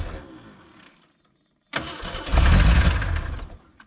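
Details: 1980 Jeep CJ with 258 inline-six, sitting 20 years: engine catches and runs roughly about two seconds on a temporary feed, then dies; stalls from a missing ignition feed, the ignition coil not grounded.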